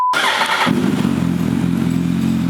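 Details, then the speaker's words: Budget motorbike after valve clearances done and cam chain tensioned, said to be a bit low on power: steady, even single-cylinder idle with no top-end tapping; valvetrain quiet, normal idle. "Sounds sweet as a nut, mate. Nothing wrong with it. But listen to that, sounds sweet as a nut."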